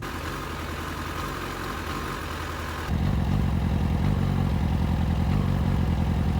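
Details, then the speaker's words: 2007 Yamaha FZ6 misfires at idle and when clutching out from a stop, about 1,000–2,500 rpm. Uneven, stumbling idle that chugs and lugs as if dropping a cylinder or two, and it grows rougher. Persists after changing copper plugs to iridium; cause unconfirmed. "it only seems to do it at idle and or clutching out from a stop so between like one and two maybe two and a half thousand rpm the bike chugs and lugs like it doesn't it drops a cylinder or two"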